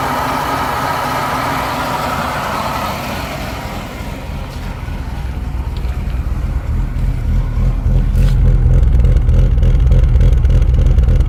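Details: BMW E36 M3 S50B32 engine, warm: deep rough idle with an uneven lumpy pulse about three and a half beats a second, appearing once oil temperature exceeds 70°C.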